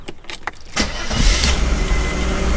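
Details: 1991 Mercedes 300E, about 200k miles, non-running car, oil clean and full, intake refitted: a few short cranking bursts, then it catches and settles into steady low rumble; starts and keeps running.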